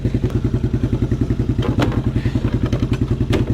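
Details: 1987 Suzuki Quadrunner LT230E ATV single-cylinder, idling outdoors after throttle and air filter replacement; steady even beat a little over three pulses a second, no misses or clatter; idling fine.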